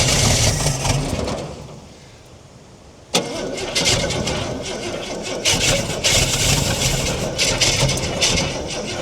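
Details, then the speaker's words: About 1968 Ford Falcon petrol six-cylinder with Stromberg carburetor, parked since 1990, 20,000 original miles, fuel poured into the bowl, cold day; fires after a pause and runs unevenly with lumpy surges, likes the choke, not doing much with choke off. ">> Well, she's firing. That's a start. I think she likes the choke more being so cold. Is she not with the choke off? It's not doing much."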